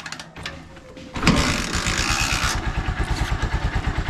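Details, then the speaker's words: Honda Supremo motorcycle, cold start after sitting unused three days, kick started twice without touching throttle: catches quickly then settles into a steady even single-cylinder idle with no misfire; not hard starting, normal cold start. "So diyan niyo makikita mga kalab barkada na hindi siya hard starting kahit na na-stock na siya ng matagal so tatlong araw siyang um Hindi nagamit"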